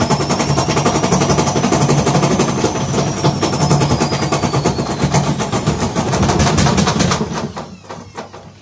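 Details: Gorenje WaveActive washing machine spinning: rapid heavy thumping about four a second over a deep rumble as the machine jumps; broken drum bearings.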